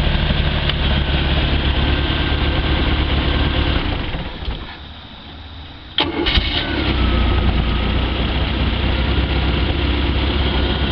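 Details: Stingray boat with a 140 hp MerCruiser 3.0L, which previously tried to start then died: after a carb rebuild, not a fuel pump, it runs evenly, briefly drops out, then catches and settles into a smooth steady idle.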